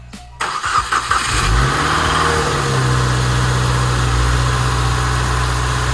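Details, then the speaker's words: Subaru WRX after belt tensioner replacement: engine cranks, catches and settles into a smooth steady idle with no more belt squeal, where before the worn tensioner squealed in the mornings; normal start and idle. "That's it. There she goes. No more belt squeal. No more squeal. So much better, guys."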